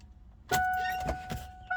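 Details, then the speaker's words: 1989 Ford Mustang Fox body 2.3L four-cylinder 5-speed convertible, battery charged, clutch down, key turned: single sharp click under warning chime, no crank; suspected bad starter, solenoid seems to work. "no start no crank and i'm pretty sure it is the starter so the battery is charged up and everything again this is what we get when you turn the key over"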